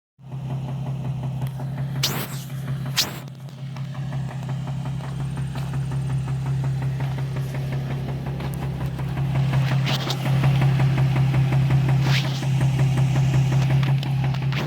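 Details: Nissan 350Z V6 at idle with a steady low drone and a regular knock of roughly three beats a second. Owner expects an engine rebuild; cause unconfirmed.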